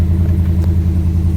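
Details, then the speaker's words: 2018 Chevy Silverado 6.2 V8, started after sitting since Friday, gives a deep, lumpy idle with a steady stumble from one cylinder misfiring and a flashing check engine light, with no mechanical knocks; another shop had said it needed an engine. "Not as quiet as a mouse. There is no noise to this other than a misfire"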